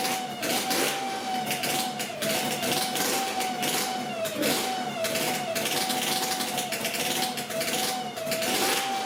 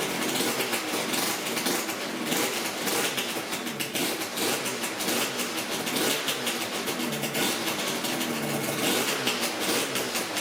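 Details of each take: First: Yamaha RZ350 two-stroke project bike idling under a steady, high howling squeal from the dry mechanical tachometer in the gauge pod; fixed at least short-term. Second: Yamaha RZ350 two-stroke motorcycle running with a busy, crackling rattle and no squeal or screech from the gauges after the tachometer and speedometer mechanisms were lubricated to fix a howling screech.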